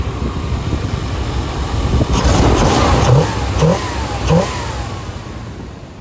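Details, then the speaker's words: 1992 Chevy C1500 with the original 350 TBI V8 and rebuilt 700R4, after new fuel injectors fixed cold-start surging, stalling and bogging: revs up and drops back cleanly, with a faint tick from a flange-gasket exhaust leak. "Yeah you can see it revs up good now."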